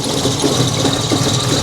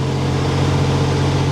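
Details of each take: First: 1987 Buick Grand National, fuel mixture set to richest setting (10% richer): uneven, stumbling idle with a thin high squeal over it; running poorly, richer mixture didn't help, cause not yet found. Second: 1987 Buick Grand National turbo V6, idle fuel setting at 3. Smooth, even idle, later dying. Normal idle for now.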